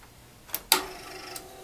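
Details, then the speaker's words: Floppy drive on a TRS-80 hooked up through a newly bought expansion interface, being tested: a couple of sharp, short clicks over near silence as the heads step. The drive reads. Normal floppy drive head seek. "five door was open but I did hear the heads we tried all right it is well able to read it"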